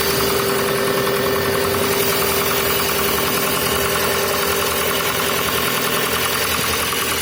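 Steady cold idle with a light, fairly quick ticking knock riding over it, roughly three a second; knocking noise, cause unknown.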